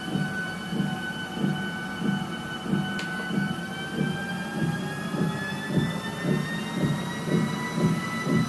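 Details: Brand-new Sole S77 treadmill, steady thump about 105 per minute over a faint motor whine, belt-paced; cause unconfirmed, owner read it may be a rear bearing.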